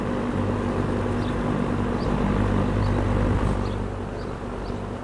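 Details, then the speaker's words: GE box fan, W22 model with plastic blades, after varnishing a loose shaded-pole coil, after several hours running: soft even hum and air rush with no buzz; fixed, running quietly. "All right, I've been running this van now for the past several hours and so far it has never made that annoying buzzing sound. So I do believe this is now fixed"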